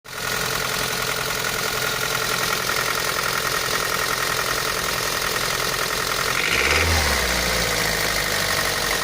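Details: Daihatsu Pyzar engine at idle; sharp metallic tapping about three to four a second in a fairly steady rhythm over the idle, an internal engine knock of unclear source.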